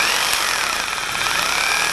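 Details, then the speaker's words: Hammer drill switched from regular drill to hammer mode: rapid even banging from the internal anvil over a high motor whine, steady throughout, normal hammer action. "this one you can flip this up and it's a regular drill and you flip it forward and it's hammer drill now you can probably hear the difference if it's on a regular drill it just sounds like a drill but if you flip the little Hammer thing"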